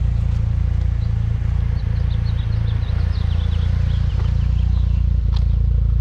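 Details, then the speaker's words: DSM driven after timing tensioner failure repair: machine-shop cylinder head, head gasket, new water pump and tensioner pulley; steady even engine drone with a low smooth pulse, no knocks, ticks or grinding, running fine. "We actually got a little carried away, but nevertheless, it's working, and it's working just fine. It sounds awesome. It sounds good."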